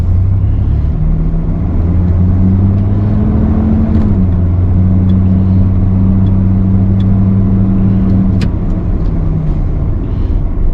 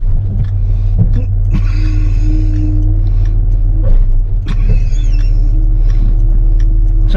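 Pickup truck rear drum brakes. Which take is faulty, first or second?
second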